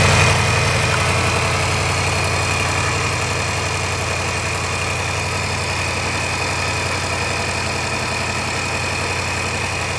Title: L405 Range Rover 5.0 Supercharged Timing Chain Noise (Tensioner Failed)